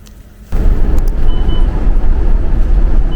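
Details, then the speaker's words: 2025 Tiffin Phaeton motorhome on a Freightliner chassis while driving: two short high beeps over road rumble. This is the Road Watch collision alert warning of a close vehicle ahead. "What's that sound that's driving me insane for the last thousand miles or so? Well, it's a new system that Freightlininer has out called Road Watch."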